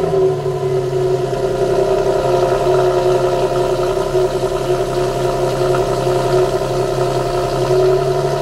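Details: 2008 Infiniti G37, factory exhaust, cold start at 1400 rpm fast idle. A loud, steady, even drone with a strong hum. Owner suspects excessive exhaust noise that might qualify for warranty replacement.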